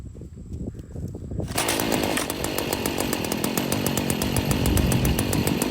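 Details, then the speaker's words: Stihl FS40C trimmer running outdoors after replacing the spark plug, air filter like new: crisp two-stroke buzz holds a high, even rev with no sputter; normal running. "Well, I guess that's it for the steel FS40 that wouldn't start. Sometimes it's just the simple things. And in this case, it was simply a spark plug."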